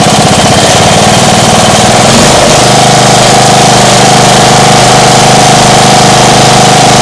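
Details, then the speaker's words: Small engine going from a lumpy idle to full throttle; the owner suspects an exhaust leak. Rises to a steady, even, louder high drone and holds there smoothly. Normal full-throttle run. "Well, it when it runs full throttle, it's not that quiet anymore. Nice."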